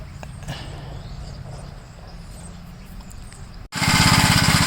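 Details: 1956 Gravely L single-cylinder after valve adjustment and governor removal, timing checked correct; starts with an uneven, stumbling beat around 200 per minute and runs rough, cause not yet found.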